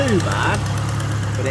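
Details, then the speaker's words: 41-year-old Ford Capri, Pinto engine, Ashley 4-branch manifold, twin-choke Weber with auto choke, cold start: a quick, sharp puffing tick in time with firing from the number four cylinder's blowing exhaust manifold gasket, before gasket replacement. "number four that's chuffing down here so I might just start it up so you can"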